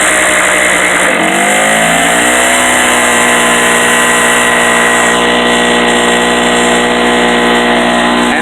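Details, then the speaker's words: Harbor Freight 800/900 W portable generator running on a little choke, with a shop vac switched on as a heavy load: the engine dips, recovers, and runs steadily; the exhaust-ping rattle, not a knock, goes away. "it's gone. That noise is no longer there."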